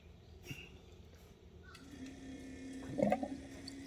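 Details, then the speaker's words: Sand car intercooler coolant loop with pump just powered: soft liquid gurgling and splashing; coolant circulating normally, no leaks, pump sounds good. "pump sounds really good I hear it gurgling"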